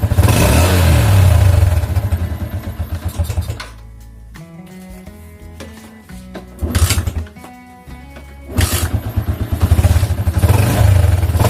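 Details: Yamaha Jupiter MX with the AIS system disabled because its vacuum diaphragm was leaking, previously causing exhaust bangs on deceleration; engine revs up and drops back to idle several times with clean overrun, no pops or bangs on closed throttle.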